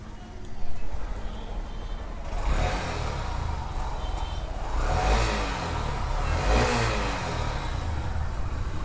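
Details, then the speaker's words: Honda SP Shine 125 cc after repair of engine noise traced to a failed bearing: clean quick throttle blips rising and settling smoothly, no rumbling or knocking; normal running like a new bike. "एकदम मक्खन जैसा bike का sound आया है और बिल्कुल एकदम जैसे कि नया बाइक जो है उसी तरह साउंड क्वालिटी आया है"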